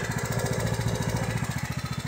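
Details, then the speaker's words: Riding tractor with a flooding carburetor runs rich: a lumpy, sputtering, stumbling idle with the fuel on, smooth with the fuel shut off; owner plans to replace the carburetor. "So hear how it's sputtering? I shut the fuel off, it doesn't do that."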